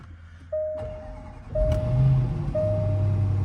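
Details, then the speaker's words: Supercharged Range Rover with 57,000 miles, push-button start: a chime repeats about once a second as the engine starts right up and settles into an even, steady rumble; starts cleanly with no warning lights. "Oh yeah, started right up. Right up."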